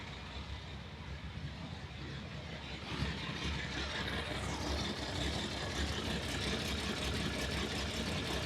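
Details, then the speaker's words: Ferrari 365 GTB/4 Daytona Spider V12 idling on all 12 cylinders: lumpy, uneven beat felt through the exhaust, swelling after a few seconds; exhaust temperatures vary widely between cylinders. Misfire at idle. "Yeah, you can hear the misfire. You can feel it lumpy through the exhaust. Shouldn't be like that."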